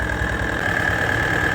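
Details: John Deere AMT 622 small engine with grey bearing-like material in the oil: loud regular knock over the idle with a steady high whine; possibly a worn rod bearing.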